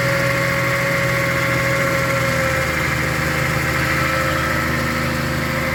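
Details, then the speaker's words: 1982 Datsun/Nissan 280ZX recommissioned after about 20 years unserviced. Even, steady idle with a smooth low rumble and no misses or knocks until shut off. Sounds healthy, with slight smoke and good oil pressure. "That does sound better. She's running cleaner than a roll of Andrex toilet roll."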